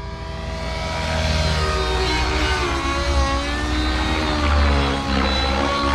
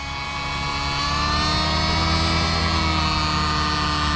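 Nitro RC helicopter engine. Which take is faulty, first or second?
second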